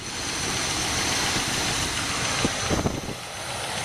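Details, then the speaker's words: 1978 Oldsmobile Calais T-top, classic G-body, first start after sitting: rough, uneven idle, light irregular distributor clicking and sharp snaps, running on about seven cylinders; suspected arcing inside the distributor cap. "That clicking sound is the same exact thing the 403 did when I first bought it. And you can hear that it's missing right now. You can hear that that thing's running on 7 cylinders."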